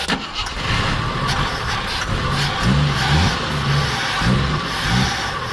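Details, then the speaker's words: 42-year-old army Jeep, not started since 2009, with starter fluid sprayed into the carb and fuel being added. Starter churns and it catches briefly but won't run; owner suspects no fuel reaching the carb or gas too far gone. "all right guys we're adding some fuel i think it might be empty because the carb is trying to pump fuel it's just not giving it to it so either that or the gas is too far gone"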